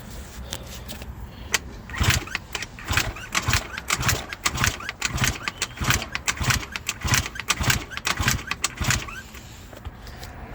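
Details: Eaton Beamer Matrix 2 scooter with only 60 psi cylinder compression, starting fluid sprayed, throttle open then choke on; repeated short kick-over bursts that never catch and settle. Hard starting, likely from low compression.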